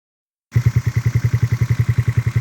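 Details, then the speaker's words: 139QMB scooter engine with AliExpress 44mm stroker crank and 52mm big bore kit, first start: slow steady single-cylinder putt about eight beats a second, even and regular; idles low but runs fine. "AliExpress stroker is alive. And she sounds good. She sounds good. She's idling super low, but nothing wrong with a low idle, right?"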